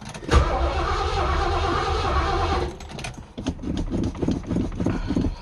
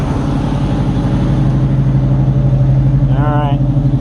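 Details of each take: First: Fox-body Zephyr with carbureted V8, possibly a small block with Turbo 350, first spring start after storage with batteries left connected: catches, stumbles, nearly dies, runs rough then quits; almost needed gas poured down the carburetor; hard cold start. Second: Carbureted Fox body with two chambered Flowmaster mufflers (2 or 2.5 inch, owner unsure), cold start after sitting: even lumpy V8 rumble at steady fast idle, even exhaust beat, no knocks or misses; healthy cold start.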